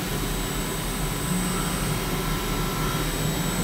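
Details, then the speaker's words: CNC milling A286 aerospace stainless steel, 240 surface feet, 0.0036 chip load, 4% radial stepover, one inch full depth with a Harvey tool: constant smooth hiss and hum with no chatter or squeal, a healthy sweet-spot cut. "oh you hear that honest butter right there that's a water right that sounds so good it's at 4% step over one inch deep sounds perfect"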